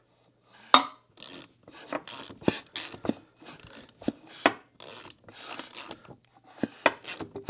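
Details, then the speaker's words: 2004 Honda CRF250R turned over by hand to check for dragging or valve-to-piston contact: short bursts of light ratcheting clicks. This is the automatic decompressor holding the exhaust valve slightly open before compression, working normally. "What that does is right before the compression stroke, it will hold the exhaust valve open just a little bit so you can kick this thing, because if this is not working, you'll have a hell of a time."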